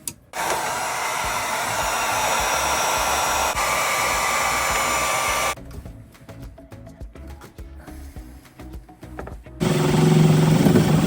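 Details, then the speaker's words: Newly replaced variable-speed water pump (same model as the 4.5-year-old unit) priming after install: loud steady whir drops and stutters then surges back as it sucks air before priming; pump is rated to run dry. "We turn it on and listen to it suck air for a minute. You're right. Luckily, these all say, can be run dry."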